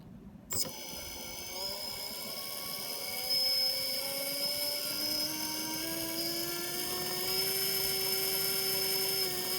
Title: Bad bearings